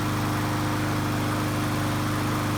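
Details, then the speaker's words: Lawnmower single-cylinder engine after repairing no-compression fault without parts, started on choke: fast, even beat with steady hum and no stumbling; runs normally. "Choke's on. That sounds like a lawnmower."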